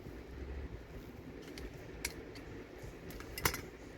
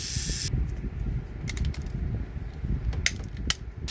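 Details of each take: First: Trackmaster Thomas toy train motor with corrosion and dirt inside: gritty ratcheting whir with odd clicks from a cracked gear that slips off easily, plus dirt grains; needs a replacement gear. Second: Trackmaster toy train motor after repair with a new gear, worm gear and reduction gear: steady whirring of the small electric motor and gear train with light clicks and no skipping or knocking.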